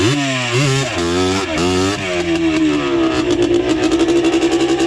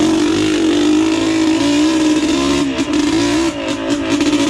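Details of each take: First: Yamaha Blaster two-stroke with minor porting, pipe and rejetting, with stator and flywheel swapped from another Blaster, riding at high revs; scream suddenly breaks up and rattles as revs collapse; loose flywheel. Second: Yamaha Blaster two-stroke with minor porting, pipe and rejetting, ridden easy while warming up; crisp, steady high-pitched note with clean rises and falls on throttle, no misfire or rattle; normal running.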